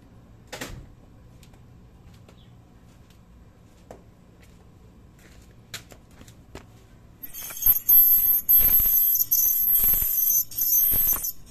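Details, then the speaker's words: Shrill metallic jingling in bursts each time the brake is applied, from the brake spring catching at the bottom; moving the spring down stopped the noise. "e é justamente a mola que tá pegando aqui agora dá para ir mais claramente que a mola pega bem no fundo aqui ó"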